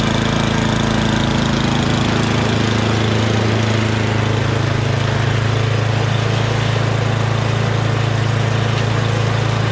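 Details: MTD Yardman 8.5HP 26-inch two-stage snowblower after carburetor cleaning (clogged pilot jet): steady even low chug about three beats a second, no stumbling or hunting; normal clean idle.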